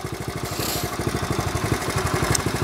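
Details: 1970 Honda Trail 70 after years stored climate-controlled; steady even putter about eight or nine beats a second, no knocks or rattles, normal running.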